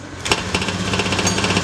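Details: Honda Beat FI injection scooter that was hard to start from weak fuel spray, now fixed: starts then settles into quick, even single-cylinder putter, no misses or stumbles; normal idle, revs freely.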